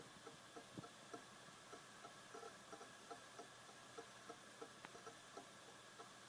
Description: Brand new Western Digital Caviar Green 2.0TB SATA drive. Clicking every second.